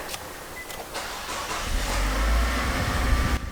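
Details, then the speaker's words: 2011 Nissan Juke 1.6L turbo four-cylinder with morning hard start and rich running, restarted after residual oil was cleaned out: engine catches quickly and runs smoothly with no stumble or hesitation, a clean start. "Yeah, no hesitation, sounds good."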